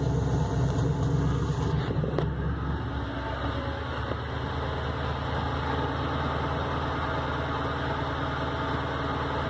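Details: 2003 Ford Crown Victoria LX, stock, with a low lumpy idle loping about twice a second like a cam engine. The owner suspects a warped OEM intake manifold that no gasket will fix; rough idle, cause not confirmed.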